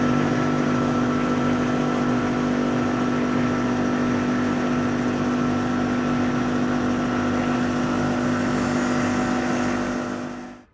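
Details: Machine skimming Essex V6 cylinder heads, its hydraulic reservoir just topped up with 40 L of oil after running low. Steady, even drone with a constant mid-pitch hum and no knocking or grinding. Normal running.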